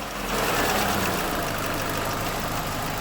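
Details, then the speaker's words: 2007 Chevrolet Lacetti 1.8 L, idle with slight throttle: busy loose metallic rattle over a noisy engine, like a bucket of bolts; intake manifold flaps rattling from worn shaft bushings. "так вот я завел немножко дам газу сам мотор по себе шумный но вот слышно ведро с болтами"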